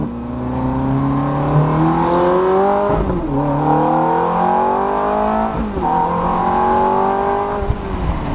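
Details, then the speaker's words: Ferrari driven after a wheel bearing repair that cured a horrendous grind: engine climbs cleanly through two upshifts with a smooth rising note and no grind or drone from the wheels; normal driving. "Oh man, this is a joy now. This is a joy. Get a little bit of gas, gas."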